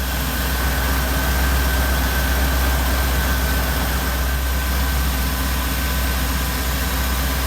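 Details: Supercharged Oldsmobile Cutlass V8 after cam swap and re-gasket with new seals: deep, loud, steady idle with an even lopey pulse and no knocks or ticks; sounds healthy after the rebuild.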